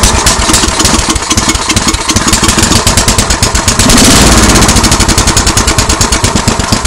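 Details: MTD snow blower with Tecumseh engine, first start after carburetor cleaning: catches quickly into a fast, steady single-cylinder putter with even beats, no stumbling; normal running.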